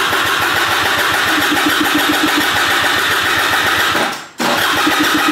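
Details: Piaggio SKR 125cc scooter that won't start, cranked after a new battery was fitted: rapid, steady starter chatter that never catches, a brief pause, then more cranking. The electrics work, and spark, compression and carburettor are to be checked next.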